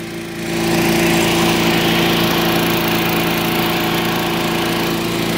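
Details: Curbside-find Craftsman lawn vacuum shredder, small engine with a cleaned carburetor and new spark plug, catches within a second and settles into a steady, even, quick drone; running fine though it burns a lot of oil.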